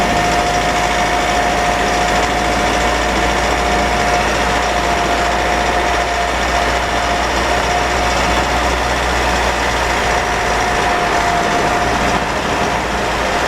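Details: Mitsubishi 4N15 diesel with V6AWH, about 6,110 km, driving: steady high whine held at one pitch over a quiet diesel drone. Burning-oil smell, higher fuel use; later overfilled rear diff, burnt front diff oil, ATF ~1 L short. Drivetrain whine, unconfirmed.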